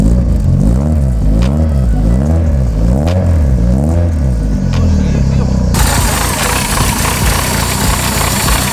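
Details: Renault Clio Williams Group A style race car, first start after engine rebuild with Colombo Bariani camshafts, forged pistons and rods, alloy radiator, Clio Sport 182 gearbox: crisp, even idle climbing and falling cleanly through repeated blips, no knocks or misfires; normal idle and revving.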